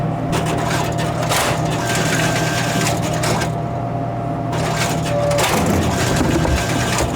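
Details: Royal GIII soda machine, Cherry Coke column test vend after replacing the pivot lever spring that caused jamming: motor hum with clunks as cans drop cleanly, no stalling or grinding; vends normally.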